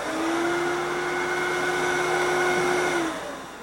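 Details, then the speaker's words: Fantom Thunder upright vacuum with dual cyclonic bin, switched on via round rubber switch: steady high motor whine for three seconds then winding down after switch-off; running normally. "First, to turn it on and off, this is a tough one. You just push this round rubberized switch on,"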